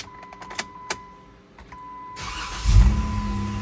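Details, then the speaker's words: 2016 two-door Jeep Rubicon after replacing starter, relay and starter wire pigtail: light clicks, short crank, engine catches immediately into smooth idle; before the wire and relay it took 10–12 turns to crank. "first crank I'm going to call this a success yeah cuz before I did the wire and the relay I had last night where I turned it like 10 times before it cranked or one time it was 12 times"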